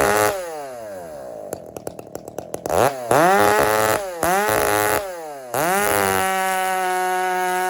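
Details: Husky 394 chainsaw fired up and held at wide-open throttle. Revs climb quickly to a steady howl with a slightly gurgling, rich edge rather than a lean scream; healthy running.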